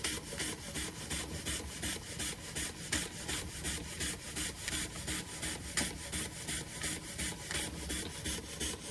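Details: Josef Falk 456 overtype model steam engine, awaiting finished restoration, run after sitting a couple of months: steady, even puffing about 170 beats a minute with no knocks or hesitation, running smoothly.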